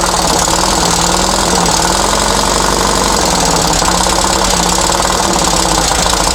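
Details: Dune buggy/sand rail flat-four, long-sitting, run after timing set to the pulley mark at the crankcase split on number one with the distributor loosened for adjustment; clattering idle with an uneven, wandering beat and pitch. Rough idle, cause not yet pinned down.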